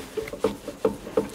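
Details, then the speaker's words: Porsche 991 GT3 Cup race car on jacks in the shop, wheel rocked by hand during pre-season service: light clicks roughly every 0.4 seconds from play in the inner, subframe-side ball joint, not the outer one; worn suspension ball joint. "alors vous l'entendez plus que que ça se voit évidemment mais on a quand même une rotule qui"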